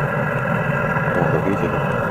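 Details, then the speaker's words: Eberspacher diesel parking heater at full power, restarted after cleaning and fitting a new mesh and gaskets, with a petrol-diesel fuel mix, outside 9 °C: pump running, steady blower whir and smooth even burner roar, no sputter. Normal running. "Всё работает, насос запущен. Видите, как хорошо он нагревается, как хорошо заводится?"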